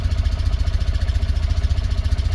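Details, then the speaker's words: Tata Nano CNG that stalls right after starting and on throttle, check light on, fuel pump already replaced: uneven stumbling idle with dropped beats; fault code points to failed or choked oxygen sensor causing misfire and jerking. "जब Tata Nano के अंदर auto sensor खराब होता है या choke up होता है। उस वक्त गाड़ी मिस फायरिंग और झटके मारना शुरू करती है और गाड़ी रनिंग में बार-बार बंद होती है।"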